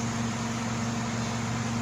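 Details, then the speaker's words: Euronda E8 autoclave entering vacuum phase after preheat: steady low motor hum near 220 Hz, even and unbroken; vacuum pump running normally during alternating vacuum/heating cycle. "Voilà, vous voyez maintenant, il a lancé un vide. Vous entendez le bruit du moteur."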